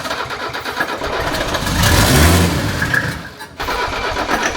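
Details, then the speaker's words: 1978 Mercedes 300CD with a swapped 1984 OM617 turbo diesel, updated turbo and injection pump: steady cranking with a few weak puffs, never catches. Owner suspects the fuel shutoff, or a pump not advanced enough, and tries it with the shutoff unhooked; it then starts. "I'm wondering if this pump isn't advanced enough, not pushing enough I'm fuel. wondering if it's this the shut off, whatever's supposed to shut it off, the fuel. We'll try with it unhooked."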